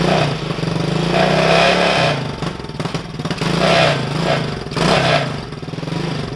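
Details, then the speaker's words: 110cc ATV engine swapped into a Coleman CT200U mini bike after long storage and started on a rigged battery; sputters and surges unevenly while leftover oil clears off the piston, then idles nicely; valves possibly need adjusting. "I'm sure it's going to run rough for a little while. This thing is set for a long time."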